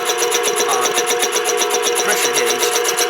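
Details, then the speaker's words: Rebuilt 1940 air compressor with a new motor, building pressure: fast, even chuffing beat of about seven or eight pulses a second, no knocking; normal running. "this is a new motor it's not real quick but and it's already building pressure"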